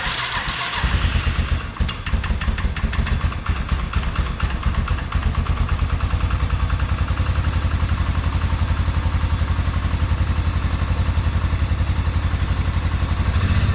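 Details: 1997 Arctic Cat Bearcat 454 ATV after carburetor repair, sitting 1.5 years, fresh gas, battery charger on, choke pulled by hand: engine cranks, catches within a couple of seconds, settles into an even regular thumping idle; normal idle.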